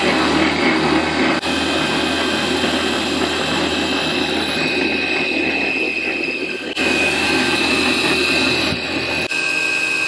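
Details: CNC1310 desktop router with encoders added to stepper motors to prevent step-out: steady high cutting whine through the steel pass with no stutter or lost-step clunks; milling steel cleanly.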